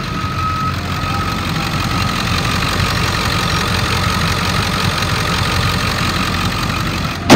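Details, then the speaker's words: 2001 Ford F-350 Super Duty dually, 7.3 L diesel, 71,000 miles, running about 45 minutes without overheating: steady, even diesel clatter at idle and when revved, no misses or surging; revs up nice, smooth idle. "let me rev it up so you can hear it motor revs up nice idle's real smooth"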